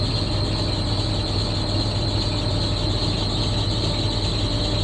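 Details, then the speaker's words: At idle with the AC on (AC not working): constant high shrill squeal that doesn't let up, slowly quieting slightly; serpentine belt squeal. "That belt's quieting down. It doesn't sound like it, but it is. It's getting a little better."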